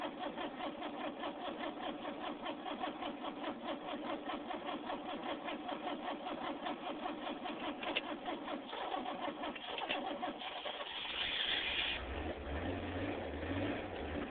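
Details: Van engine turns over with an even chugging starter rhythm for about ten seconds but never fires; crank, no start.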